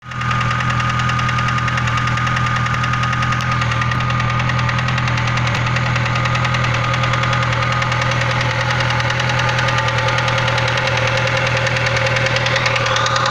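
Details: VAZ Classic (Lada) engine at idle after replacing the connecting rod bearing shells, compression 15 in all cylinders: loud heavy knock about twice a second that gradually returned; connecting rod knock, crankshaft sent for grinding.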